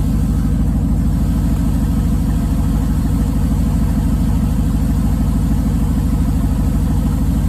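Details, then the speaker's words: 2005 5.3 LS V8 swapped into a 3rd-gen 1980s Firebird, straight pipes, idling cold in a Canadian winter after sitting a couple months. Deep, loud, even burble with a steady rumble and no ticks or knocks; healthy cold idle. "Sounds good. Oh yeah. Haven't heard that sound in a little while. A couple months."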